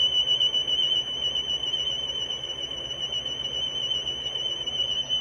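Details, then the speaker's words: GE cassette recorder playing a high steady test tone that warbles quickly and unevenly in pitch; drift is solid, and measured flutter is about 1%. Tape flutter from the tape drive. "Probably could be a little better, because you can see that fluttering going on, and you can hear it, I'm sure, on the recording."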